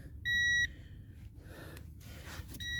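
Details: Budget AliExpress metal detector on a sunny Whitley Bay sand beach: clear high steady beeps, a short tone, then another a couple of seconds later over quiet background, signalling a buried target such as a coin.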